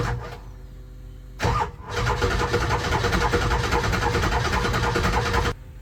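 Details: Ford 7.3 Powerstroke diesel truck cranks briefly, then starts and settles into an even clatter. This follows pulling the injectors for troubleshooting, hand-cranking the oil out and re-torquing; an earlier fuel pump and return spring job hadn't fixed the rough running. It now runs much better; oil flows from front injectors 1, 3, 5 but not 7.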